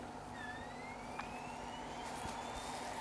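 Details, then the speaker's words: Sony VAIO PCG-FX501 laptop (AMD Duron, about 21 years old) rebooting from CD: soft whine climbing gently in pitch over a few seconds above quiet room hum, nothing scraping; normal optical drive spin-up. "Drive spinning up the optical drive so that's another reassuring sign"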